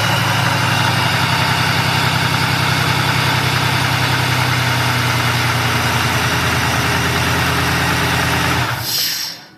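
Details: 2000 Pontiac Grand Prix GTP at idle: loud, constant hiss sitting over the engine the whole time; owner suspects a vacuum leak, nothing confirmed.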